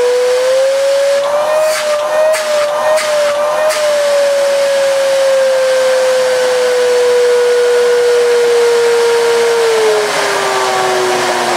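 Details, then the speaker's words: Miele S2111 vacuum, found dead, first run after repairing a broken solder joint: loud harsh motor roar, steady whine sagging slowly in pitch; works but sounds terrible; owner suspects the fan needs washing, carbon-brush smell noted. "my kids it works but sounds absolutely terrible"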